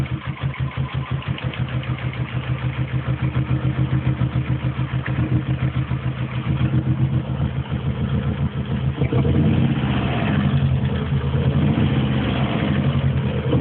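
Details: Opel Tigra engine problem: uneven pulsing idle, about three or four beats a second, thickening and rising when revved; abnormal engine noise, cause unclear.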